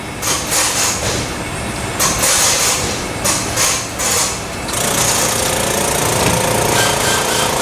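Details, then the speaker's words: Electric brake vacuum pump on a Chevy Nova with 4-wheel Baer disc brake conversion, its duty-cycle switch previously not working: harsh rattly buzzing with irregular surges and stutters instead of smooth hum; rough-running pump. "Hey, it's working this time. No, it's not. Doesn't sound very healthy."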